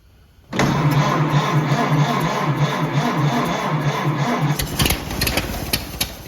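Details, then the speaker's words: 1928 Ford Model A 201 cid flathead inline-four, first run after 17-18 years stored, choke pulled, fuel on, slight throttle, distributor timing locked slightly advanced: catches after short crank, settles into an even, steady low idle with no knocks. "that's the first time i've ever heard this car run and my grandpa's had this thing my whole life"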